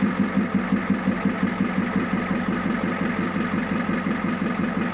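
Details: 1994 Ford F-Super Duty diesel dump truck, first start after years of sitting, air cleaner removed, with oil pressure confirmed: even, steady idle with a regular knock of about three beats a second and no misses, putting out a little smoke, running healthy.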